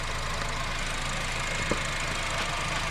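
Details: 2012 Honda Civic 1.8 L after alternator replacement, charging 14.34 V: smooth, steady idle with a low even rumble, no knocking, whine or squeal from the front. Normal idle.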